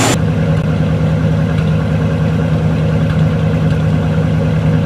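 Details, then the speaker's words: Cold, carbureted Buick ("Bluick"), barely driven after sitting about a month with a known misfire that is worse with electrical accessories on. Loud, deep, lumpy idle where the right exhaust sounds off (before the rebuild it was the left). Vapour is condensation. Uneven exhaust note, cause not identified. "the exhaust note the right sounds a little funny that's nice and smooth before the rebuild that was reversed the left kind of was funny and the right not so much"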